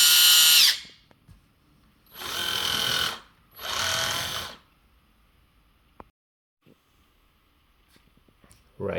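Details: Kabolite K961 excavator, left track motor (right track quiet): short loud high-pitched squeal bursts each time the track motor runs, silent between; caused by excessive track tension from the idler spring.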